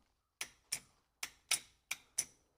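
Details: 6.2/6.5 diesel (CUCV) glow plug relay/solenoid bench-tested on 12 V supply: six crisp sharp clicks in quick pairs as the contacts pull in cleanly; relay clicking normally, though this unit failed the day after installation.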